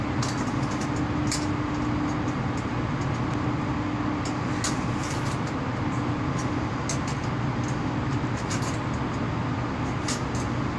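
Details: Outgoing cables from a low-voltage MCC give a constant loud hum with a buzzy overtone, attributed to cable-to-cable vibration and wrong cleats, with current leakage to ground and heating. Cable ties used for now, proper cleats to follow.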